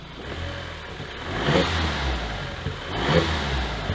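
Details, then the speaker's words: 2015 Audi TTS after locksmith programmed the key and temporary oil pan hole fix: two quick throttle blips rising cleanly and dropping back to a steady idle; engine now runs without shutting off and sounds healthy. "They, in fact, did program our key, and check this out. It runs, and it doesn't shut off."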